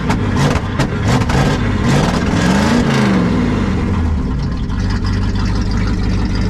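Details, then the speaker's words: 1974 Ford F100 4x4 390FE big-block V8, heavily smoking. A few throttle blips, then a lumpy, uneven idle that sags as if about to quit. Owner suspects it is running extremely rich; not confirmed. "then yeah the way that thing is smoking and the way it's choking you to death it's running extremely rich I think that's part of our problem"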